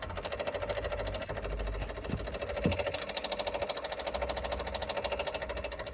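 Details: 2021 Kia Soul with engine running: fast, even ticking around three per second with a bright metallic edge over the engine; source of the tick unknown.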